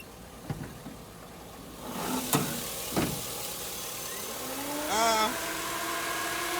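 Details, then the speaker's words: 5.3 LS-swapped El Camino with a 4L60E, at idle: a rising whir and rush of air as the electric cooling fans kick on, set to shut off around 185 and 187. Fans switching on normally. "That was too cool. Perfect timing. So the fans kicked on right now."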